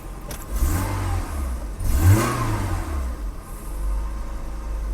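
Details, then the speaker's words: BMW E30 after control module change, not yet retimed: throttle blips rise and fall cleanly, then an even, smooth idle with no stumble; control module was the fault. "better that control module was definitely the move that was definitely an issue idle is so much better it's running smoother"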